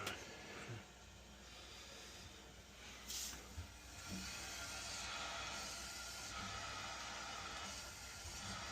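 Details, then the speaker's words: Older Burnham gas boiler hydronic system refilled after replacing a failed, screeching Taco circulator pump: soft steady hiss of air escaping an air vent for several seconds, normal purging after the refill. "I hear that one. Oh, there it goes. See? Pissing away. Like that's a good sign, right?"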